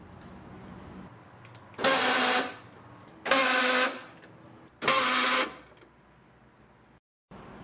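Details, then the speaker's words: 2001 Honda CR-V passenger front door when locking: three short, harsh grinding bursts about 1.5 seconds apart from the door lock actuator; owner suspects stripped internal gears, not confirmed. "now that grinding noise you Heering happens every time I lock the passenger front door"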